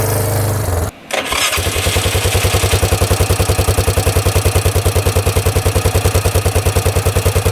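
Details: 1998 Yamaha Grizzly 600 4x4 ATV, previously limited to about 10-15 mph, test ride after repair; brief cut then catches into an even thump about three beats a second, running clean, easily reaching 55, completely fixed.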